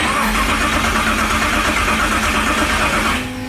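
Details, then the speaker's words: LS race engine swapped into an El Camino cranks but won't start; loose grounds were also found. Its crank sensor isn't being detected, so a new crank sensor is probably needed. The starter turns the engine over steadily for about three seconds without firing. "That blue light means it's not sensing our crank. So we need a new crank sensor, probably."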